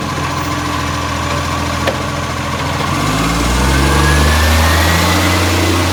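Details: Brisbane garbage truck diesel near idle: sharp, regular puffing about four times a second that rises as revs lift; a blowing exhaust leak.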